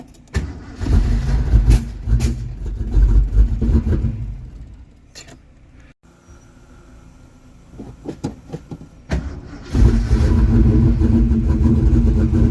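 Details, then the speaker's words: Mustang with newly installed rebuilt engine (new heads and cam), ignition switch broken: catches and revs, drops out briefly, restarts into a steady, deep, even idle with no knocks or ticks. "Oh, she sounds beautiful. I can't get out of the car because I've got to hold the broken ignition switch in place, but she sounds beautiful."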